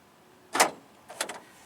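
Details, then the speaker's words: Honda Civic door lock actuator bench-tested with reversed terminal polarity: two crisp clean clunks half a second apart, no buzzing or hesitation, moving to the other position; actuator works properly. "And there it popped up in the other position. You could probably hear it on the camera work."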